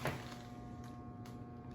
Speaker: That means it's jammed up. So you make sure you turn the switch back off.